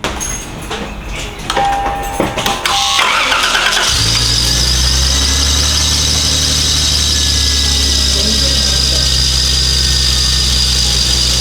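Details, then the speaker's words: Lexus GS300 2JZ-GTE VVT-i turbo, old belt before new Gates belt fitted: engine starts and idles with loud steady high-pitched squeal. Glazed serpentine belt squeal. "okay guys do you hear the level of squealiness coming from this right here all because the belt is glazed whenever you have a glaze the belt it is going to squeal"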